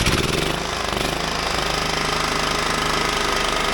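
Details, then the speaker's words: John Deere riding mower with replacement 16 hp engine, tractor jacked up, throttle on: starts right up and runs loud with rapid even firing, no knocks or stumbles; battery voltage rises from 12.6 to 13 V, stator charging properly. "it started right up, and I'm stepping away because it's so fucking loud"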